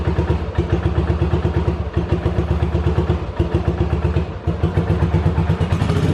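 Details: 1985 Yamaha Virago 750 V-twin after reassembly: uneven thumping that stumbles, drops out briefly and picks back up, running then cutting out; owner suspects bad ignition coils or shorting plug wires and plans new coils, wires and plugs.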